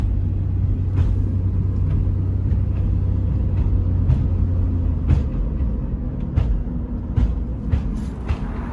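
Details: Sharp, irregular clunks about once a second from underneath while driving, over a heavy low road rumble; the passenger lower control arm with ball joint and a broken rear sway bar link were already replaced, but the clunking remains.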